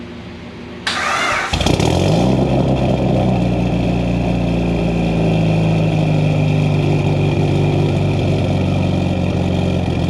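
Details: Built Mitsubishi Evo 8 with Kelford 272 cams, after replacing the failed IAC with a 2000-up Eclipse unit and a richer idle tune. The engine catches and settles into a deep, slightly uneven loping idle: normal for aggressive cams, though not perfectly steady.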